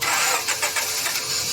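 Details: Honda Civic VTEC engine that won't start after an engine wash: rapid rhythmic starter churning under two seconds, no catch or firing; cranks but won't start.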